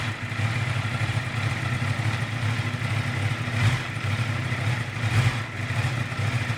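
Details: 2018 Honda CBR650F cold start: choppy, unsteady idle with a couple of stumbles and dips; rough until it warms.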